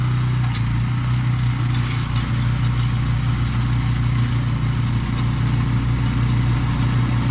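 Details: Husqvarna snow blower with Briggs & Stratton Snow Series engine, morning after replacing gummed-up carburetor with new HIPA unit; cold start on electric start, very cold oil. Starts straight into steady, even low chug, no misses, knocks or surging; normal running.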